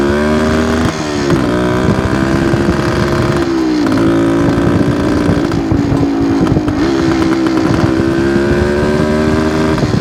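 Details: 1972 Suzuki TS250 two-stroke on road after carb work with 170 main jet: revs loud and raspy but sags and stumbles at each blip; better but still not taking fuel, owner plans to change spark plug; hesitation under throttle.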